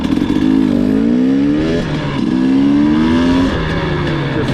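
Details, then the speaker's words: 2020 KTM TPI two-stroke after swapping the cylinder port sensor with the ambient sensor, clutch in: quick low-throttle blips rising and falling cleanly, no sputtering, idle now correct; normal low-throttle response after fix. "so before this is where you'd hear the sputtering even when i was just you know clutch in see how clean that is"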